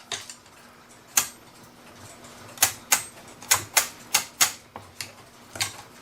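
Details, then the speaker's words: Pre-1970 one-day cuckoo clock being wound: sharp, uneven clacks a few per second as the chain jumps and sticks, not winding up nicely; cause suspected, not confirmed. "nicely now the chain stuck up in there because it's jumping"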